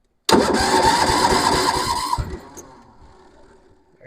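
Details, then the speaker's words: Massey Ferguson 7 lawn mower sitting many years, after carburetor mixture screw turned out one more (slight gas leak): quick uneven chuffs as the single cylinder sputters, briefly catches and fades; engine catching while cranking. "little [Music] flutter there's a little flutter yeah all righty now we're talking here"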